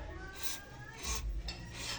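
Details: Vehicle part very noisy while driving, still squeaking after WD-40 was sprayed on its joints: three rasping scrape strokes about every 0.7 seconds as the part moves, dry moving joints rubbing.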